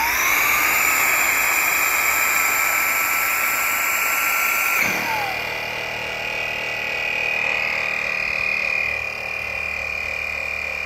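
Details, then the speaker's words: ISLE Deluxe 2-in-1 electric inflator pump inflating a fully deflated board: steady high blower-motor whine for about five seconds, then a clean switch to the compressor motor's even buzzing hum, which inflates to full pressure. Normal operation. "So, I've now just shown you that initial sound being the one the first motor and the that's called the blower motor and then the second one is the pre the compressor uh motor that's going to inflate it to the full pressurization."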